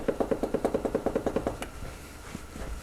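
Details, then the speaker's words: 1947 Briggs & Stratton Model A during reassembly on the bench: crank turned by hand gives a quick run of sharp metal clunks as it shuttles, excess crankshaft end play of about 0.012 in versus a 0.002–0.008 in spec. "See the points moving there? They're not set, of course. You can hear the bit of end play we have."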